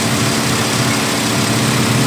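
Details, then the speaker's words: Daihatsu Terios at idle with the AC on: steady even idle with a constant rushing fan whoosh and no knocks or surges. Engine and cooling fan run normally. "mestinya normalnya kayak gini jadi Sisi begitu AC on dinamo exstrapan ikut muter juga"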